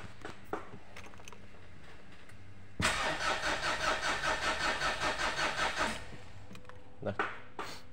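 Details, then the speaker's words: Mitsubishi Pajero common-rail diesel that suddenly would not start: about three seconds of steady cranking, two to three turns per second, never catches; scan tool shows no rail pressure, suspected leak at injectors, supply pump or rail sensor. "kalau misalnya kita starter di bagian full pressure itu tidak ada nilai sama sekali Nah itu berarti ada kebocoran di antara injektor atau juga suplai PAM atau juga di sensor eh common rail-nya"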